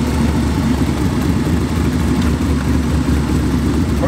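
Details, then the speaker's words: 1927 Ford coupe hot rod with a small-block Chevy V8 (tunnel ram, twin four-barrel carburetors) and automatic transmission: a deep, lumpy, even rumble holding a steady idle with no misses or knocks. Normal, healthy idle. "Purrs like a kitten. What a great car collection."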